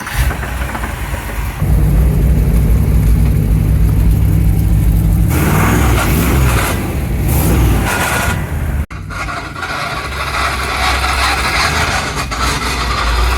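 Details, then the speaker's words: Rough, uneven knock under idle as the 1975 Chevrolet C10 engine cranks, catches and revs; previous owner couldn't fix the knocking, cause not yet known. "That sounds terrible."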